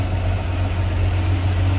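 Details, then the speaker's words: Stock 245 Hemi six in a Valiant, built from second-hand parts, 500 Holley 2bbl, Pacemaker extractors, 3in exhaust, mixed leftover oil with zinc, before dyno: steady even low rumble at idle, no knocks or stumbles; ticks over like stock, normal idle. "I'd say it ticks over like a stocking"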